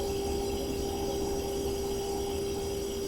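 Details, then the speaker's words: GE Profile PFS22MISBWW refrigerator, bought 2007, not cooling: thin steady hum with no deep compressor throb; owner suspects bad compressor, overload/start relay or run capacitor, or refrigerant leak; not confirmed. "but I don't hear that deep vibration that I would normally hear with the compressor or we've got a mini fridge running in another part of the room and I can hear that coming on clear across the room I don't hear that same sound with this compressor"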